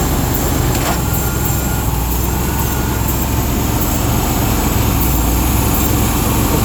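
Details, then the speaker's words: 1996 Ford F250 XL V8 with suspected bad fuel pump, started on starting fluid: catches and runs with a rough, uneven low rumble only while sprayed, then shuts off; runs only on starting fluid. "It appears to have a bad fuel pump. We're going to start it up so you can hear it with starting fluid and uh so you can hear the engine."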